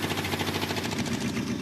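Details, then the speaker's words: Jeep J truck on a temporary fuel system with a primed carburetor: a lumpy, stumbling idle with missing pulses. A water test shows cylinder 1 not firing, with possibly more cylinders dead as well. "this thing's running, it's misfiring or it's got a dead cylinder or something."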